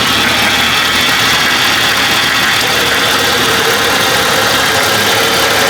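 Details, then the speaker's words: 1987–1995 Jeep after fitting a used power steering pump to fix a leak, engine idling: faint steady hiss-like whine over the running noise from air in the power steering system, expected to work out with driving; fluid level dropped slightly. "It still may have a little whine in it. They'll eventually work out. Yeah, it's got a little whine to her, but a little driving, that'll work it out."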